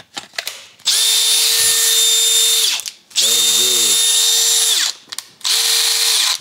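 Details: Makita DDF 486 cordless drill that had been under water and only made strange noises, with electronics damage suspected. On a quick check it spins up in three short bursts, each a steady even whine, running normally.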